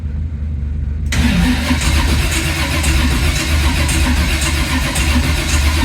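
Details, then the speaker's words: 1980 Camaro at first start, with plenty of fuel: the starter cranks at a steady, even chug but it never fires. There is no spark, traced to the distributor and ignition coil wiring. "tributor, so we had no spark, and that's why it wouldn't start."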